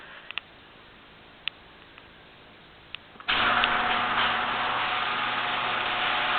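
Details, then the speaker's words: Genie garage door opener after greasing hinges, screw drive and spring: few light clicks then steady even hum, no grinding or squeal; runs smoothly, previous noise gone. "I greased all the hinges, the screwdriver, the spring, and now it sounds a lot better."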